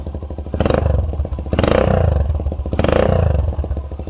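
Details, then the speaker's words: Suzuki Thunder 125 custom scrambler, stock engine with aftermarket exhaust and replaced carburetor, fuel nearly empty: steady single-cylinder thump at idle and three clean throttle blips, deep mellow note, even firing; healthy engine. "Ya, ini dia suaranya Thunder 125 customnya Ardi. Suaranya sih cukup adem ya."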